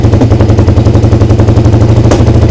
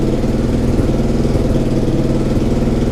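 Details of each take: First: Suzuki SV twin at idle before carb sync: loud lumpy idle with small popping backfires; rpm rises when brake cleaner is sprayed at the intake boot, revealing an air leak there. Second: Suzuki SV twin after engine reassembly and corrected timing: starts instantly and settles into an even, steady idle with a regular low pulse and no misses or mechanical clatter; an exhaust leak at the top remains.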